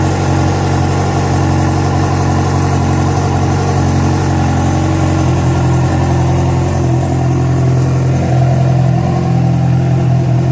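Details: Yamaha FZ6 at idle after riding ~70 km on two cylinders from failed ignition coil connector: steady idle with loose, uneven top-end ticking over low hum; cause not pinned down.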